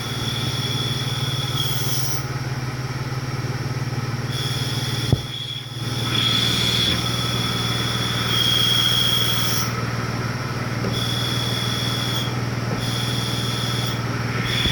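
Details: 1989 Toyota 4Runner at idle. A high thin chirp cuts in and out and goes away when the clutch pedal is pressed; cause unknown.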